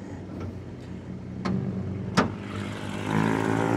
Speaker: Kelemahannya di mobil ini N20, dia di timing chain sama suaranya itu seperti mesin diesel. Padahal ini mesin bensin guys.